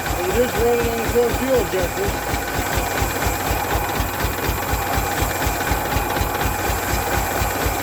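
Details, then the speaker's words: Derelict 1992 Ford Flareside six-cylinder, cold day, 57 psi fuel pressure: lumpy, uneven chugging idle stumbling like an old tractor from the exhaust, not hitting on all six cylinders. "sounds like an old tractor out back of the exhaust that kind of tells me it's not hitting on all six cylinders yeah i'll let it just keep stumbling along"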